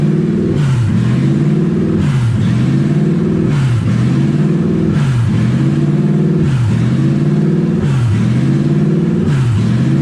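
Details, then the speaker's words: Toyota 1UZ V8 in a Ford Falcon, first start, no exhaust fitted yet, in neutral, low on coolant: revs high, hunting about every second and a half; owner guesses no coolant through the idle air control valve. "I think it's revving like that because it doesn't have coolant going through the air idle control valve. That's my guess."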